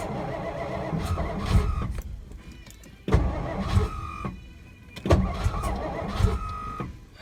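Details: 1963 Studebaker Lark sat since 2010, weak battery, starter being rested: three long bursts of steady cranking, never catching; turns over but won't fire, owner later blamed the tank being on E.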